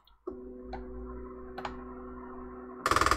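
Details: NEMA17 stepper on TMC2209 driver with BigTreeTech Manta M4P under Klipper, sensorless homing not yet configured (no sensitivity set): steady whine as the axis travels, then loud rapid buzzing grind as the motor stalls and skips at end of travel, undetected.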